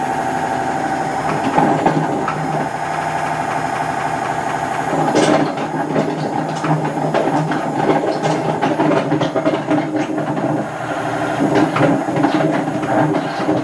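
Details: Hotpoint First Edition FEW12 washing machine, left outdoors for months: a harsh droning roar during the spin with irregular rattles and knocks. The drum bearings are badly worn.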